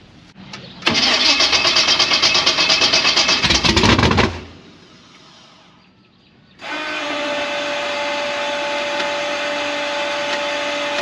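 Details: Gasser C10 carbureted race engine after a jet change, screws backed out to 1.5 and linkage adjusted: cranks, catches roughly, sputters and dies after about three seconds, then refires to an uneven idle; popping on startup, owner suspects jets too lean.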